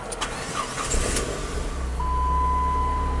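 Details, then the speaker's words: 2005 Chrysler PT Cruiser 2.4 turbo, 5-speed manual, with an intermittent start-stall fault after crank sensor replacement; cranks briefly, catches at once and holds a steady, even low idle before later stalling: normal start and idle. "Let's see if anything happens here. When it runs fine, it runs fine."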